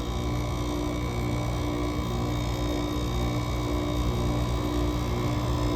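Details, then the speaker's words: GE AWS05LSK1 5050 BTU window AC with Samsung rotary compressor, cold start at 15°F outside; coil frosting as head pressure builds; steady low hum and fan rush; compressor warmed up, oil thinned and lubricating freely, running evenly in sub-freezing ambient. "there so the compressor has pretty much warmed up at this point the motor is running hot enough where the oil is no longer very viscous the oil is lubricating freely which is keeping the compressor running"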